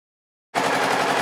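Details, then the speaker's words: Honda PC800 motorcycle: sharp rapid popping backfire with the throttle barely cracked open; first suspected mid-range jets, later traced to a failed battery whose low voltage upset the electronic ignition. "all you have to do is just give it a slight crack of the throttle [Applause] that's just about a a tiny bit of throttle [Applause] opening and that's where it likes to do [Applause] it"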